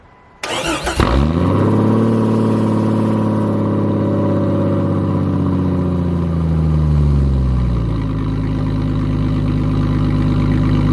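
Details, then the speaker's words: Jeep cold start on a very cold, snowy day right after replacing the dead battery (terminals still messed up): brief crank, catches and flares to a high fast idle that settles lower after several seconds; clean, healthy start. "But we are going to be trying to start it now, so hopefully a little bit of a cold start."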